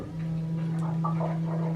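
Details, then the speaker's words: Classic Mini race car electric water pump run at 100% via the AIM PDM override button (normally ramps to 100% above 80 °C): steady low electric hum with faint water gurgling, running smoothly. "and that will override everything, and it will turn my water pump onto 100%. I've also added this little green light on the dash so that I know my water pump's running."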